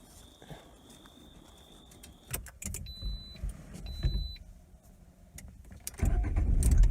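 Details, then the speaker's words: 2019 Lada Granta FL cabin driving over bumps after the rubber seal that had shifted was bound in place with copper wire: only dull thuds and road rumble, no body squeaks or creaks. "Ну отлично ничего не скрипит минут 5 все это дело за него и ничего больше не скрипит [музыка] Больше никаких скрипов вот он по кочкам ничего не скрипит"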